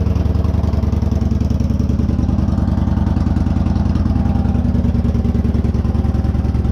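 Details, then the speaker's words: 2014 Victory Cross Country Tour salvage bike, first start after being picked for parts, with Staccato mufflers: loud, lumpy V-twin idle with even pulses about three and a half per second; steady and clean, normal idle. Small oil leak at the oil cooler fittings. "there you go sounds okay the selvedge not Salvage bike runs and it sounds really good I mean it staccato mufflers"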